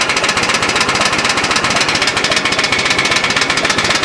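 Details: Restored old Ford at rough, struggling idle in neutral: fast sharp ticking about four a second from extremely loose valve clearances, not a rod knock; intermittent oil pressure, possibly kinked line or bad oil pump; valves to be readjusted.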